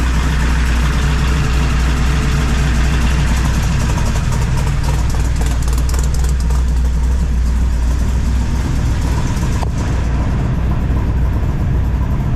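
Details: 1978 squarebody V8 with full roller rockers, first start after installing 3" exhaust and Flow Monster mufflers, carb hat off: deep, loping idle with heavy low rumble, steady and even; slight valvetrain noise normal for roller rockers; running fine.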